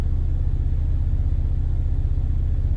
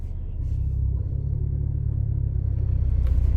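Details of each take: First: 2018 Ford Focus ST at idle with the air conditioning on, with the Mountune rear motor mount before swapping to a CP-E Stage 2 mount: a steady, even low rumble with no knocks or shudder. Normal idle. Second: Ford Focus ST with CP-E stage 2 rear engine mount, fully warmed up at idle: deep drone swells when AC compressor engages, vibration into cabin rattling child seat; stiff mount.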